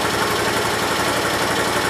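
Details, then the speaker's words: 1968 Gravely 430 small single-cylinder petrol engine, just refitted: idles fast and steady with an even beat, no knocks or misses; sounds healthy. The owner thinks the valve may need adjusting, and the high idle was traced to a misrouted choke cable. "so sounds pretty nice i might need to adjust the valve"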